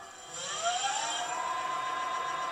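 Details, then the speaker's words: Sparta Maxx 70 e-bike, 48V front hub motor, tested after repairing damaged yellow wiring with heat shrink; smooth whine climbs to steady speed up to 58 km/h via thumb throttle, starting problem solved. "dan loopt hij tot 58 km/u en dit ja dat werkt ook nog en als ik hem op zijn allerhardst zet Ja dat is prima probleem opgelost"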